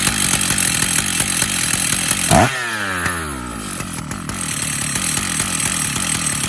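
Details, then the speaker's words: Stihl MS 880 chainsaw, 121.6 cc, idle 2700 rpm, clutch engagement 3400 rpm: the engine revs high with a blip and settles, with metallic chatter over it from a worn-out clutch that must be replaced; at idle only engine noise is heard. "Le bruit du métal que vous entendez, l'embrayage, Malheureusement, l'embrayage ne fonctionne plus."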